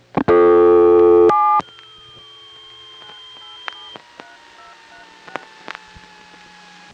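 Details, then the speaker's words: No. 1/1A ESS electronic switch line after dialing a single digit 4: loud dial tone stops, then faint touch-tone beeps and clicks of other customers dialing come through; crosstalk that disappears once the call completes. "if you just picked up your phone dialed a digit and listened you could hear other people all I did was dial a four the touch tones you heard in the background were other customers"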